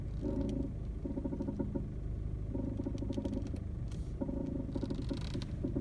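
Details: VW Golf Mk7 1.6 TDI at idle: short half-second bursts of steering creaking and light knocking with some rubbing as the wheel turns; cause unknown, thought to be a common Mk7 problem.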